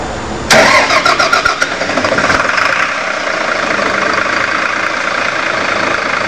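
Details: Heuliez GX417 GNV natural-gas city bus: starter churns about two seconds with uneven firing before catching and settling into a rough, steady idle; hard starting.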